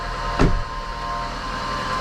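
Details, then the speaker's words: VW Golf 4 idling after catalytic converter replacement and fault code clearing: steady thin whine over an even idle with one brief knock, blamed on the alternator pulley, which is to be replaced. "la folie 2 c'est la folie de l'alternateur donc on va changer l'internât tort"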